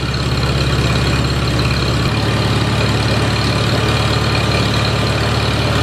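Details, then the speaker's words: A Farmall Super A tractor runs after grounds and wires were replaced to restore spark: loud, even low chugging holds steady with one small shift in pitch and no misses or knocks, so the engine is running smoothly. "I'm just tickled to death this thing's running"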